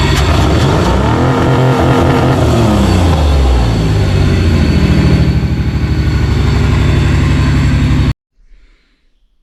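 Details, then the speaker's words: Stock 1995 Ford Explorer engine that runs but has a clear miss: revs up and settles with an uneven, lumpy beat and a stumble in the exhaust pulse; one cylinder missing, caused by a cracked spark plug. "Now, the bigger elephant in the room is this engine. It does run, but it's got a clear miss in"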